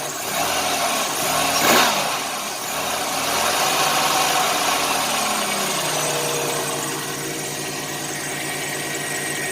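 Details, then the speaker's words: 1990 Chevrolet Lumina Euro 3.1 V6, 145,000 miles, cold start, factory exhaust: after brief rev settles into steady even idle with no stumble; injector suspected for earlier miss-like hesitation; normal idle. "right now it's smooth the old factory exhaust sound from a 31 or 28 is everything"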